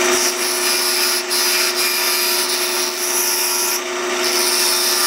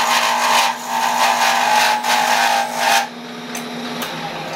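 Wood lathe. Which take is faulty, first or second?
second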